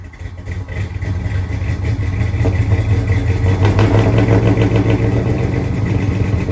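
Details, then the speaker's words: 1970 Dodge Charger V8 idling after a fuel pump install, first run in at least 18 years: deep idle rising as it settles, with a slightly uneven loping beat, a mild misfire. "It's been sitting here idling for a couple of minutes. It sounds pretty good. It's got just a slight misfire to it, but not bad for not running in 18 years."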